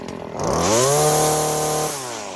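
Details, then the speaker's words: Stihl FS 40-C trimmer, high-speed jet bench tuning at full throttle in the air with no load: revs up to high whine then within a second or two drops into lower burbling four-stroke pitch; correct slightly rich tune. "you should hear it ramp up, wah, and then within a second or two, you should hear it 4-stroke, where it would go, wah, change pitch."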